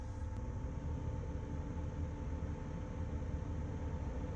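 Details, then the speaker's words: Samsung fridge freezer that is not cooling enough: the freezer is at 48 and the fresh food at 37 after about an hour. The evaporator fan is activated via the door magnet and gives a steady low hum with a constant whir, no scraping or ticking. The fan is normal. "We're going to listen to see if we hear the fan. Now to activate, make the fan turn on."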